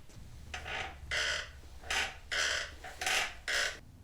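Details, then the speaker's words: 2004 Yamaha R1 rear worked up and down after WD applied: sharp, high squeaks in bursts about every half second; a dry pivot, owner suspects the swingarm pivot, not confirmed. "I wonder if it's in the pivot of the swing arm itself"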